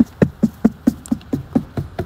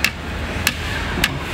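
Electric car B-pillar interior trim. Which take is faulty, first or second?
second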